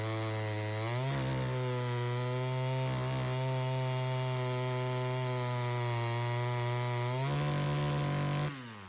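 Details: 113 chainsaw on the bench after fixing an incorrectly seated, sawdust-clogged air filter: it revs cleanly from idle into a strong steady howl, holds speed through the cut without bogging, then drops back smoothly; running right.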